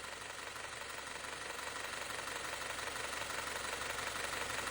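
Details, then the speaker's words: Audi Q5 2.0T EA888 just overhauled for oil burning, idling: fast sharp metallic ticking about three per second from the top end, loudest at one bolt, louder than a rebuilt A6. Low oil pressure affecting the camshaft adjuster suspected, but oil flows; unconfirmed. "就这个地方有哒哒哒哒哒的声，特别是这颗螺丝一听，那声音老大了。"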